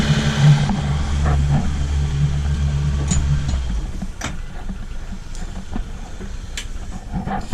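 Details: 2005 Yamaha 115 (LF115TXRD) starboard outboard after cleaning dirty fuel injectors, no load: steady low hum, even pitch, no stumble through revs; previously broke up and misfired around 2,500–3,000 rpm.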